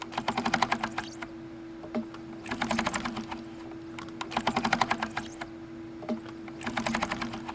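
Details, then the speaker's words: Keysight U1282A multimeter function switch life-cycle test: rapid bursts of detent clicks about every two seconds over a steady rig hum, with a definite squeak emerging at about 4,100 cycles. "can hear a definite squeak we're currently at about 4 100 cycles"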